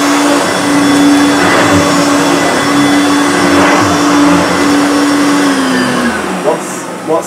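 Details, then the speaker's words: 1980s Hoover U2332 Turbopower upright vacuum on a rug, low power: steady motor hum then pitch sags as the brush bogs, somewhat squeaky and stiff; agitator stalling from slack drive belt, new belt needed. "is definitely needed leave a new belt because I can I can hear the agitator sort of stalling because the belts obviously not taught enough"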